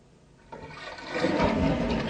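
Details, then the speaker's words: American Standard toilet (owner believes Champion 4), installed about six years ago, refilling after a washer and O-ring replacement to stop constant running: quiet start then a sudden even rush of water; fill stopped and no further running heard. "Well, it stopped, guys, and it stopped, and I don't hear it running again."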